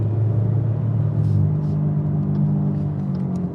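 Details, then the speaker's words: 2014 Chevy Cruze 1.4L turbo, code P0173, after aluminum thermostat and coolant outlet housings, intake manifold and valve cover replaced; low rumble with the idle climbing and hanging too high, then easing slightly, suspected vacuum or boost leak, pinched turbo vacuum line found. "You can hear how how it idles up like this. It's crazy. Ready to listen? And check it out. Check it out. It's just way too high."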